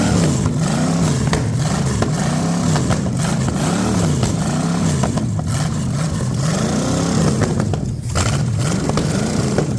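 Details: Ford 460 big-block from a neglected farm chore truck, first run on a gravity-fed lawn mower tank and the original mechanical fuel pump, no cooling system: a deep rumble swelling and settling with each blip. No smoke, no clatter, great oil pressure.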